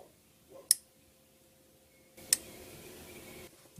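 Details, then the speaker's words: Subaru EA82T with Megasquirt MS3X, camera placed near the purge control solenoid buried under the top of the intake during output test: two sharp clicks about 1.5 s apart. The solenoid is switching properly. "hopefully hear that go click. I did inside, so you should be able to hear it on the camera."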